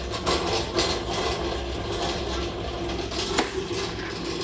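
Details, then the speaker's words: Tormach 1100MX CNC mill, two months old, during ATC tool tray referencing/homing: rough continuous scraping and grinding with sharp clunks; the tool tray sensor previously would not reference, and the owner blames factory build quality. "if you could hear the tool tray actually reference it still has scraping noises they don't build this right"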